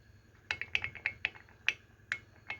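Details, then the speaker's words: Yamaha RX King Cobra engine being rebuilt: loose, worn crank bearing rocked by hand in the bare block gives sharp, uneven metallic clicks (about seven in three seconds). Visible side play causes noise inside the block, and reportedly weak low/mid-rpm acceleration. Bearing to be pressed out and replaced. "hai hai ini dia sudah menimbulkan suara dan nah ini spasinya nampak disampingnya Hai nah ini menimbulkan suara berisik juga didalam blog"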